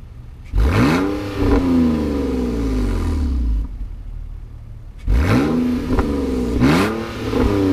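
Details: BMW E46 drift project car just restarted after sitting three months, idling smooth. Two clean rev blips rise and fall smoothly with no misses, knocks or rattles, settling back evenly: healthy revving.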